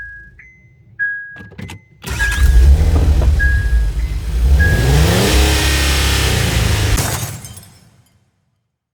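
Starter churns the engine steadily for about five seconds with an even cranking beat, but it never catches and spins down silent.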